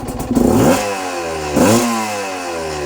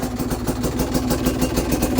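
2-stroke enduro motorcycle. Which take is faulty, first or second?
second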